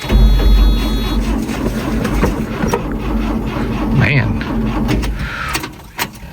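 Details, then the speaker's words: Ford Courier mini truck with a history of battery trouble and loose battery cables, sat about a week in the cold, electric fuel pump priming: slow, laboured, uneven cranking that almost catches. Weak cranking. "it sounds weak, doesn't it? Electric pump. Let it do its thing for a second. It's been sitting about a week or so, maybe a little bit longer. It's been cold."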